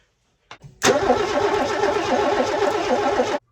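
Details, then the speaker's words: Mercedes W123 coupe, long-abandoned classic, cranking while testing a gunky injector from a donor 280 E; steady rhythmic starter cranking for about two and a half seconds, never catches, since none of the six donor injectors worked. "I didn't have a lot of Faith with that one anyway cuz that was properly gunky okay that hasn't been entirely successful we tried all six injectors from the donor car and none of them work"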